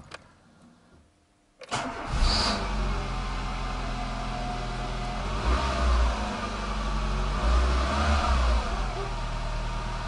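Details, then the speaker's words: Renault Logan 1.4 at 183,977 km, first cold start after cylinder head repair for coolant loss: catches quickly, settles to about 1200 rpm idle with slight shaking; running fine. "отпускаем сцепление потихоньку всё отлично 1200 оборотов как-то немножко ее потряхивает"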